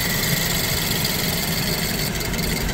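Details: BMW E87 120i with a misfire, two injectors switched off via the diagnostic actuator test: rough, shaky idle with an uneven low throb as those cylinders stop firing. This confirms the injectors are working.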